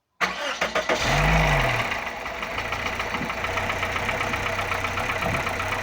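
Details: Toyota Corolla 1ZZ-FE engine: cranks, catches and settles to idle with a steady light knock about four times a second; engine knock, source unclear.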